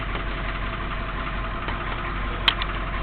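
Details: 1983 Chevy Suburban Silverado 6.2 diesel with original mechanical fuel pump, just started after sitting a couple of days, glow plugs used: steady, even diesel idle clatter with no misses or stumbles; running smoothly.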